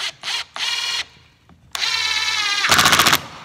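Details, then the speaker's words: Impact driver driving screws into a joinery project: bursts of fast, sharp rattling clicks as resistance builds, with hard hammering near the end. This is normal impact action. "so you'll hear some loud clicking as I do this and that's okay"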